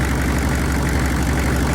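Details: Chevrolet 6.5L turbo diesel V8 after sitting five years, restarted with ether and a makeshift fuel pump power wire (pump had no power): steady, even low diesel rumble at idle, no knocks or stumbles; running smoothly.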